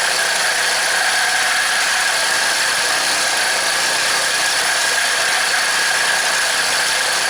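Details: Craftsman four-cycle mini cultivator after long storage, just fitted with a second new aftermarket carburetor: a steady, fairly fast even drone with a faint squeak the owner suspects is in the clip. The throttle is holding the idle up, and it runs properly.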